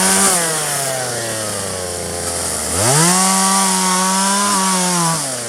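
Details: 1997 Poulan 2150 chainsaw, 23 years old, owner guesses 2.1 displacement; warm, just run; dull chain cutting box elder tops. Full-rev two-stroke scream bogging steadily into the cut then climbing back cleanly under load; normal cutting.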